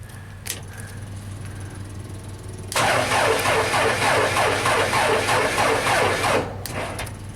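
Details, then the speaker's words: JLG 260MRT scissor lift on a jump pack after a dead battery. The starter churns at about three and a half turns a second for nearly four seconds, never catches: crank, no start. "So I don't think the complaint is with the platform controls. It just doesn't start."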